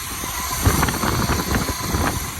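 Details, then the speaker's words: 1980 Chevrolet Malibu that stalls pulling away from lights, carburettor suspected: after idle and mixture screw adjustment, a throttle flip brings a backfire, then a lumpy, shaky, uneven idle with irregular thumps; rough idle, probably carb still out of tune. "So it backfired, right? Number one, it backfired. And it's shaky as hell. So see how shaky it is."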